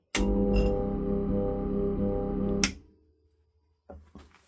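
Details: Old 3/4 hp Crompton Parkinson AC motor with intermittent starting: steady low even hum for a couple of seconds, no run-up, then cut off. Start capacitor was suspected; worn bearings and shaft end-play now suspected, unconfirmed.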